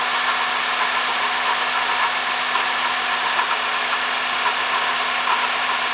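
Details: 2005 Honda Odyssey (registered Nov 2005, 268,167 km, CVT) at idle: steady high whirring hiss over faint uneven ticking from a worn water pump bearing; replacing the water pump, thermostat, thermo switch and coolant cured the noise.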